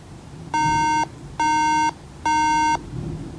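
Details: 2012 MacBook Pro at startup: three clear half-second beeps, the RAM fault code.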